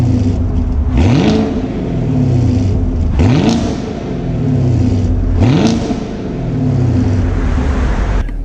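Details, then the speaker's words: Stock 2019 Chevrolet Camaro SS factory V8 exhaust: three clean rev blips rising and falling smoothly over a deep burble, nothing rattling or missing; healthy exhaust note. "now from the factory this car sounds amazing"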